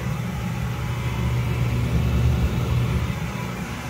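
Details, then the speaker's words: Gas hanging heater that whistled high-pitched on startup, after fitting correctly sized flex gas hose: smooth, even low roar with no whistle; burner firing cleanly and quietly, noise fixed. "no noise so we fixed the problem perfect easy fix"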